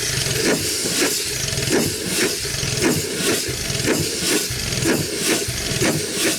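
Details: 100+ year old Chicago Pneumatic steam engine/air compressor, first run in decades, compressor head off: slow chuff about once a second over a constant loud steam hiss; runs well but piston rod packings leak.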